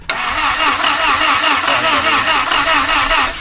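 Brisk, even cranking with a steady fast rhythm and no labouring for over three seconds; the starter spins the engine strongly.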